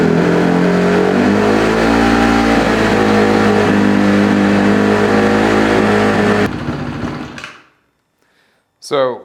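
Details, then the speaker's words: 2008 Honda CRF150RB, owner suspects an air leak: holds a steady high idle with a slight waver, then fades and quits, as it dies on throttle; lean pilot jet plus a weak plug. "one issue that we're having is the idle is really high I think it's getting some air in from some place and then once it calms down as soon as you give it a little bit of gas it just dies"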